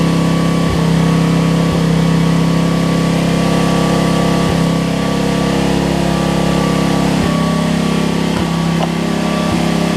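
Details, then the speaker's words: Homelite LR4400 generator after carburetor and kill switch replacement and fuel line rerouting: even steady drone with faint occasional ticks as it changes tune and starts working properly; normal running. "You hear it change tune? Video, it just started working. That's amazing."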